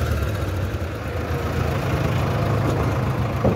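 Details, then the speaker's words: 2019 Bajaj Pulsar 150 UG5 motorcycle, engine previously rebuilt by a mechanic, jerking and breaking down in the city, smoking: uneven lumpy low idle with rough throb, close to stalling; abnormal engine noise, owner feared near-seizure; fixed with new engine oil and two spark plugs. "हां start करके देखलो engine कैसे noise कर रहा है"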